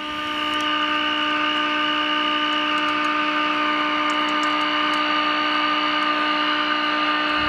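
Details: Tube radio (DERB experiment) on a received signal with 30% modulation, output through the speaker voice coil, AVC not used. Steady pure tone with a few clean overtones over quiet hiss, no hum or crackle; playing properly.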